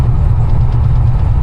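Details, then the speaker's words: Dodge Dakota with a 426 Whipple-supercharged Hemi, driving gently on a new rear gear set during break-in: an even low rumble with no gear whine. Exhaust and road noise come through the back panel, and the rear end runs quiet, like stock. "but gear noise is gone we just have to drive like a granny for a while to let this gear set break in actually sounds good so yeah Drive is just like stock you"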